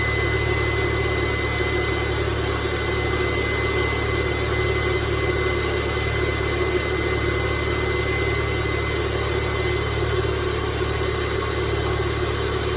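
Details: 2002 VW Jetta 2.0L started after oil and filter change; steady idle with loud constant high-pitched scream from the secondary air pump at cold start, shuts off shortly, normal, no leaks.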